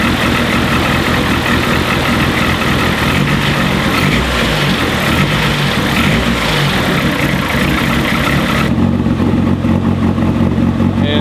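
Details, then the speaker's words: Turbo Honda CRX D15/Y8 start after swapping in a Delta 272-2 camshaft and setting valve lash: loud, lumpy, uneven hunting beat instead of clean idle; cam timing off, later corrected back to top dead center. "I would not call that a completely healthy sound yet. We'll get there."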